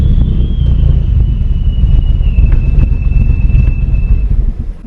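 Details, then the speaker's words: Eagle Talon (DSM) first start after new head gasket and transmission rebuild, running rich: rough, lumpy idle struggling to hold, with a thin high hiss sagging in pitch; air leak suspected, not confirmed. "it can't even idle right now and this a really interesting sound coming from somewhere sounds like a air leak or something"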